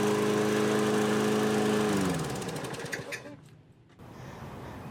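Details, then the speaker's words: 2003 Toro 20017 mower with a 2006 LV195EA replacing the original Tecumseh LEV120: a steady, even drone at constant speed, then shutoff and a smooth spin-down. The governor is holding speed normally. "Well, good news. You can hear the 2003 Toro running. And it now governs the speed."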